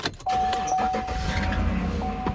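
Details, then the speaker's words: 2014 Chevy Silverado crew-cab work truck with 124,000 miles and 3,600 engine hours: the V8 cranks and catches, then a thin, steady high belt squeak rides over the idle at start-up. "So you can hear that belt squeak."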